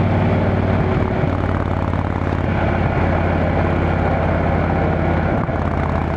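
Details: Motorcycle on a road test ride after replacing the failed exhaust gasket with a similar-thickness one: strong, even exhaust drone on the road, no puffing or ticking; exhaust leak fixed, sounds sealed and healthy.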